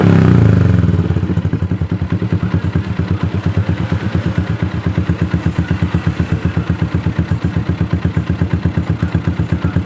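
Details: Yamaha Jupiter MX started by jumping the ignition switch with a cable during a no-crank repair: catches quickly and settles into an even single-cylinder idle around 160 beats a minute; normal start and idle.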